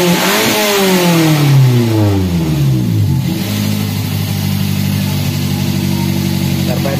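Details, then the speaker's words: Daihatsu Gran Max after the clogged catalytic converter was fixed: revs fall slowly over about three seconds before settling at idle instead of snapping back. The RPM hang is blamed on a dirty throttle body that needs cleaning. "RPM seringkali macet, itulah sebabnya throttle body perlu dibersihkan."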